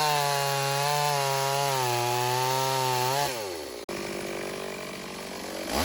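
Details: Stihl AV 028 Woodboss chainsaw cutting wood after fuel line and filter replacement fixed lean bogging, run without air filter; crisp high two-stroke scream pulls down into the cut and recovers cleanly; normal running under load.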